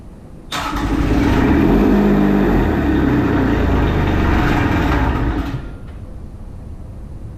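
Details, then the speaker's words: Kubota RTV1100 D1105 diesel cranking after 10-15 seconds of glow plugs; even cranking about four compressions a second for five seconds with heavy exhaust smoke but never fires. "Oh, that's a lot of smoke. That's a lot of smoke. Do you see all that? Let's hit it again. That is a lot of smoke."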